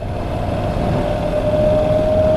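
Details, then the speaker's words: Honda NC750X at cruising speed: steady mid-pitched whine over engine and wind rush, heard most from the front tyre; owner suspects the front tyre is noisy, cause not confirmed. "they say I wish sorry that they were a bit quieter on the front I did have White's the front and not the back I guess he can hear the front a bit more but yeah could be better"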